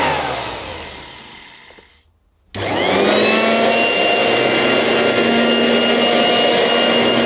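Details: 1980s mains-powered Goblin Roto handheld vacuum cleaner with rotating agitator brush, running after fitting the inner bag: loud, steady high-pitched motor whir at an even pitch; very noisy but running normally and fairly effective.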